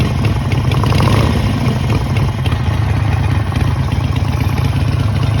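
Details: Harley-Davidson Sportster V-twin idling with a deep, lumpy beat and a repeating knock; owner suspects rod knock, not confirmed.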